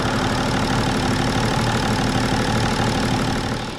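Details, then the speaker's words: BMW 525d E39 M57 diesel after freeing the seized turbo geometry lever and adjusting its screw: even, steady run with no knocks or misses, note holding clean before dropping off; turbo charging strongly, running healthy after repair. "Le turbo il charge. On entend il charge vraiment fort. Parce que j'ai réglé un petit peu la petite vis qu'il y a."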